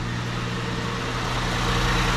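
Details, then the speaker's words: 2008 Ford Edge after brake booster replacement and brake bleed: engine idling with brakes applied, steady even idle with no hiss by the pedal or whine under the hood as before; normal idle. "And then I showed you guys the hissing noise. No more hissing noise."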